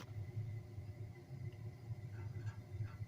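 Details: 1971 American Standard GPH 135 millivolt hydronic boiler after a new Resideo L8148J1009 aquastat and Bell & Gossett pump were fitted: a steady, low, even roar with no popping or flutter. The burner is lit and firing normally.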